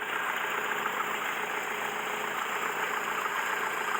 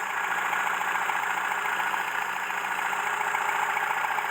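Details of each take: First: Mercedes W115 started for the first time after sitting three years, warming at steady idle: loud raspy chuffing hiss with no deep tone, a blown exhaust leaking near the engine; alternator issue also present. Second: Mercedes W115 not started in 3 years, run out of fuel, carburettor worked on, started not fully warm: smooth even idle with steady beat, no misses or stumbles; starts easily, normal idle.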